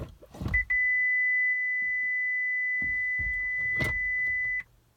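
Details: 2012 Chevy Volt after 12-volt battery replacement, brake held, shifting after power button; clicks then one long high chime about four seconds, car won't charge and refuses to drive; cause unclear. Warning chime when shifting, no drive response.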